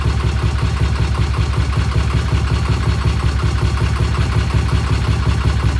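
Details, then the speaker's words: Vintage British motorcycle just after a 5-speed transmission repair, started on one kick and idling while warming up: a deep, steady thump at about two and a half beats a second with no misses or knocks. A great idle; the throttle cables still need freeing. "Boy, it sounds good, doesn't it? Yeah. That's a great idle right there. Boy, you can't beat that with a stick."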